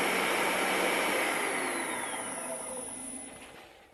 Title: Motor bearings replaced